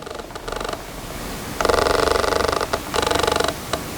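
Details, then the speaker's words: Sigma 24mm f1.4 DG Art lens on Canon R6 via EF-to-RF adapter, recorded by camera-mounted shotgun mic: short bursts of high buzzing chatter as focus hunts in a quiet room; noisy autofocus motor. "maybe you've already heard it a little bit in this video as i've been talking but just i'll just shut up for a second and i'll let you hear without any other background noise what the autofocus noise sounds like"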